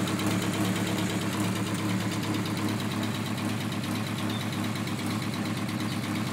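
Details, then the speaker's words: Mk2 Golf with draw-through turbo, Weber 45 carburettor and tacked-up exhaust, needing tuning and bogging: lumpy idle with a ragged puffing chuff about three times a second; exhaust leak blowing. "sounds welcome sounds like a big jumble of exhaust blows it yeah it's playing a lot"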